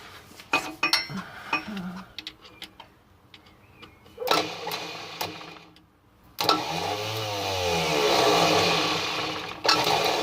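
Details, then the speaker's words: 1973 Rover P6 3.5 V8 with a reconditioned starter, bridged directly with a screwdriver across its terminals: a click, then a strong, even whirring spin for about three seconds, the starter working; the fault lay in a failed relay. "You could blatantly hear that the starting motor is working because when I cross the screwdriver across the 2 tops, you hear it going."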